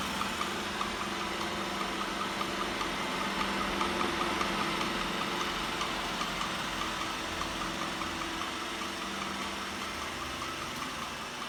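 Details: New Roomba i7+ (owner's second unit) running with a light, steady clicking about two or three times a second over the vacuum motor hum; cause not apparent, owner wonders if it is faulty.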